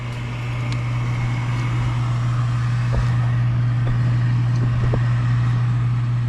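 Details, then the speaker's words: Furnace with newly replaced draft inducer motor, replacing an extremely loud one: smooth, steady low hum with even pitch and no rattle or grinding; sounds much better, normal running. "That sounds much better"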